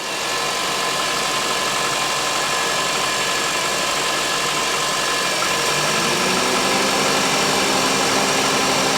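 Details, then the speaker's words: 2007 Honda CR-V idling with AC switched on after belt tensioner replacement: smooth, even hum settling slightly lower as the compressor loads, no rattle, squeal or knock; noise appears fixed, and the owner will suspect the AC clutch if it returns. "I think it may have fixed it I don't hear nothing yet so hopefully that fixed the issue this time"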